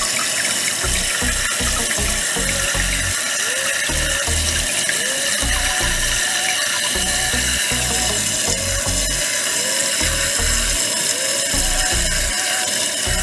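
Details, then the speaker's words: Toilet tank refilling after a Fluidmaster PerforMAX 400CARP no-tank-removal fill valve and flapper kit was fitted to fix a running toilet. With the water turned back on, a strong, even rush of water fills toward the old water line with no hiss or squeal from the valve; the refill sounds normal. "You can see where the old water line was, so that's where it's supposed to fill up to. Hopefully it does."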